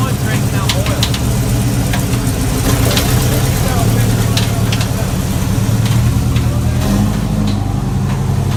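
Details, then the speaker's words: Chevy 350 V8 race car at a rough idle: uneven sharp bangs with no set rhythm, faint at first and getting worse. Suspected bullet or foreign object in a combustion chamber slamming against the head; the engine likely has to come apart. "That noise in there is just not good, and it was faint in the beginning, and it's getting worse and worse. Dude, there's a bullet or something in your combustion chamber and it's slamming against the head. That's what that noise is."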